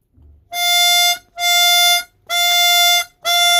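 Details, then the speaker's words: Chromatic 64 harmonica with a flutter-prone windsaver held down by finger: four even, steady draw notes, clear and full with no flutter or buzz, confirming that windsaver as the cause. "You can hear it's perfect. So it's definitely this Windsaver."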